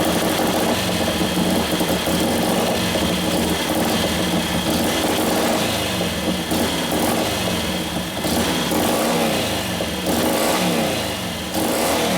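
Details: 1941 Harley WLD 45 56ci stroker flathead, fresh build with performance cams: a loping idle with uneven blips that hesitate before picking up. Very sensitive to fuel mixture; the main jet is running lean and was turned out to richen it.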